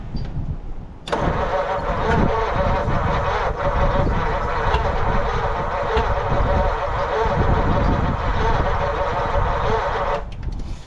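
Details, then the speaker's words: 1940 Mercury Eight, stored since the 1970s, first start attempt: steady starter cranking about three turns a second with irregular sharp backfire pops, never catches. Spark and points believed good; owner suspects several valves not closing and plans to pull heads. "It sounds like there's more than one that's maybe backfiring in there, but yeah, nothing less to do except for take it apart."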